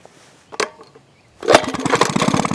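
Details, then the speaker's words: Fully restored Maytag 72 engine with new starter pulley pin, exhaust flange and muffler, first run: starts on the first kick into a quick, crisp, even popping beat. Runs well, pops a little until set. "Oh yeah. There you go. One kick wonder. And I mean, it runs real good."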